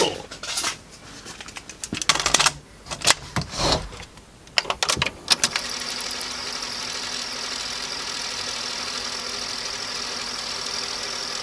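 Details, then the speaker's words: Sony TC-W290 dual cassette deck, soft-touch plastic mechanism with DC servo motor, after repair: a few sharp mechanism clicks and clunks, then a smooth, even whir with no drag or squeal; tape playing normally, transport apparently fixed. "yeah that one seems to be playing now okay so i think this thing's fixed"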